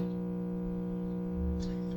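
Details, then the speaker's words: 1963–1964 GE radio model T238B on AM at 900 during repair; steady low hum under the station audio that never changes; mains hum, capacitor suspected. "Yeah, it's something's [music] you hear it humming."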